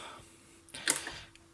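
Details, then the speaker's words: Fostex 280 four-track cassette recorder, powered on: pressing play gives one soft clunk and a brief mechanical whir, then near silence, so the transport fails to play; rewind and fast forward are slow, and the owner suspects the reel mechanism. "it tries, but doesn't really do anything."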